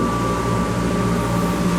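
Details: Shop-built cyclone dust collector, after a rebuild following an impeller failure, switched on at the band saw port: a steady, even motor hum with strong airflow rush and no rattle or rub; running smoothly and pulling well.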